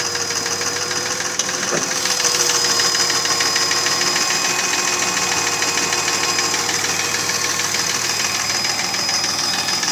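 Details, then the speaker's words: Mercedes ML320 V6 (M112 3.2) at about 300,000 km at idle: hollow knock about three per second, steady and not fading, unchanged by replaced bearings, chain, tensioner, camshafts and lifters; pistons rocking in scored bores. "в общем там задирать страшны плохо видно внушить того что задира это стук-стук а за задиров поршня болтаться в гильзах и вот этот стук издается такой характерный"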